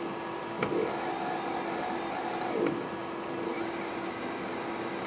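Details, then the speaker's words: Quadrature closed-loop stepper motor on MaxNC CL CNC control board run from Mach3, board with bad overheating MOSFET; thin high whine with hum that abruptly changes tone every few seconds; owner suspects one coil not driven because a MOSFET fails to activate it; uneven stepper noise. "so um i'm suspecting that it's only being run on one coil that's why you hear the two different noises sounds differently"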